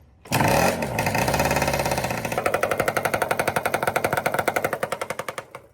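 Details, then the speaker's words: Freshly built 421 twin-cylinder sand drag bike right after its first race; lumpy, uneven popping like a 250R single-cylinder banger, owner suspects no compression on the right cylinder and a blown motor: engine running on one cylinder. "That sounds like a 250R, 1-cylinder banger. That was right after we got back."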